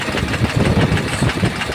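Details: Tata Cummins diesel engine at idle with cover opened: irregular heavy thumps through a rough idle, deep bottom-end knock; a spun bearing or bush is suspected but not confirmed.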